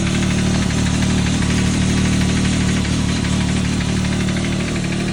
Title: Can am Maverick X3 XMR Turbo RR ticking noise Can somebody tell me what it is?